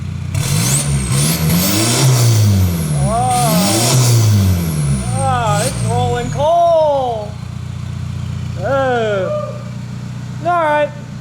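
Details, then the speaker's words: Volkswagen Jetta Wagon diesel revved hard just after a new full exhaust was installed, throwing dust and black smoke: deep rumble climbing and falling, loud open-exhaust bark, clean pull with no knocks or rattles. Normal revving. "Yeah, give her some revs. Oh yeah, that sounds freaking great."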